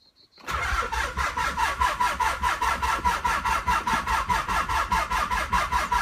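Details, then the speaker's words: 1995 Nissan 300ZX, long unused after a crash, cranked through three sets of jumper cables: strong, even cranking at about four compressions a second that never catches. Enough current now, but no spark or ignition, with a slight gasoline smell. "well obviously now we're getting enough juice to the engine but still no spark or at least no ignition smells a little bit like gasoline"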